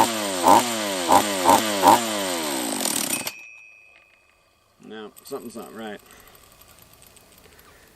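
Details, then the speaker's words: Refurbished Husqvarna 44 chainsaw on its third heat cycle: bursts of revs sag and die instead of holding, then it only coughs on restart and won't take any throttle. The owner suspects a lower-end vacuum leak and will strip it down. "yeah it does not like any throttle"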